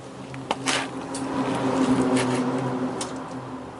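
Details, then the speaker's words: 1968 MGC being diagnosed for a no-start after refurbished distributor and new coil: ignition switched on with electric fuel pump engaged, low steady hum with soft rumble, no whine or grinding; normal fuel pump priming, bad coil later found. "hear that no rumbling that's that's what the electric pump sounds like"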